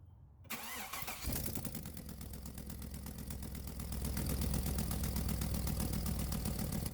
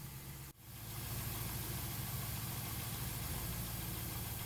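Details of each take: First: Chevy/GM secondary air injection (codes P1415/P1416), cold start with air pump running, hose disconnected from check valve; loud rushing buzz over idle as airflow escapes — failed check valve confirmed. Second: V8 Chevy Camaro/Firebird secondary air injection (P1415/P1416) diagnosis with a faulty check valve: after a brief dropout the engine settles into a steady, even idle. The air pump runs on cold start, then shuts off.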